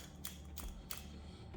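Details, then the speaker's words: Removed PCV valve from a 2003 Lexus LS430 3UZ-FE 4.3L gives four sharp, light clicks when shaken, its plunger rattling freely inside. "Set that insulation to the side, and we're gonna check our valve. You can hear the rattle, distinct rattle."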